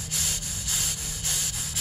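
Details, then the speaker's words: Semi trailer axle with Hendrickson TIREMAAX PRO automatic tire inflation system: sharp, steady high hiss pulsing in short bursts, air leaking out of the rotary union at the hubcap. "and you can see it's actually leaking out of the rotary Union right here out at"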